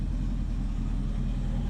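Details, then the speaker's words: 1976 Ford Ranchero 500 V8 warm idle after new timing chain and oil pump install: deep steady even burble, no ticking or knocking; owner says it runs smoother, cam audibly doing its job, blow-by noted; healthy idle. "it runs great now with a new timing chain boy it really runs good I can tell the difference smoother you can hear and feel the cam doing its job"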